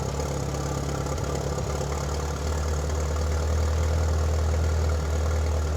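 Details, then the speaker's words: 1997 Mitsubishi Eclipse GSX, first start after sitting almost 5 years, with new alternator, thermostat and cap and exhaust reconnected: starts easily, then a low uneven pulse at idle that smooths out a little; owner suspects vacuum leaks. "Started up nice and easy, running a little rough now. Much quieter since the exhaust is hooked up."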